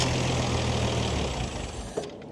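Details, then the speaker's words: MX32 Toyota Cressida, JDM car from a wrecker, restarting after fuel filter work with a possible air lock: uneven, labouring idle sags over a couple of seconds and cuts out, not getting enough fuel; rough running and stalling. "W that's a lot of fuel damn oh D come [Music] on it's not getting enough you"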